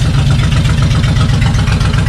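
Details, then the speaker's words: Suzuki Intruder 1500 VL V-twin that sat for years, after a carb clean, throttle position sensor cleaning and decompression valve check; warm at 80°F with no choke. Even, deep idle with both cylinders firing and no misses, knocks or ticks: normal idle. "oh it sounds beautiful sounds beautiful so after a good carb cleaning uh checking out the decompression valves uh this thing seems to run like a top"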